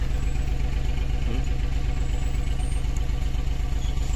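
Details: Suzuki DA64 minivan, K6A engine, at idle around 1000 rpm before coil replacement, heard at the exhaust pipe: lumpy thumping about four times a second, engine, steering and mirrors shaking; misfire from a bad ignition coil, low power.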